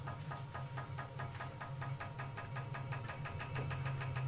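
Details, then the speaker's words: Wood lathe turning a rough vase blank, started at slowest speed and advanced to about 400 rpm: low hum throbbing about three times a second with the spindle; vibration from unbalanced blank, so speed knocked back to about 300 rpm. "Right, so now I've got a little bit of vibration there, about 400. So rather than attempt to speed it up, I'm just knocking it back."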